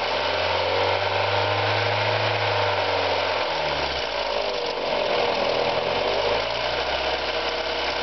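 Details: Mazda Miata petrol engine revving, with a light, fast tick strong from 1000 to 3500 rpm that fades above 4000 rpm; owner hopes it is not rod knock.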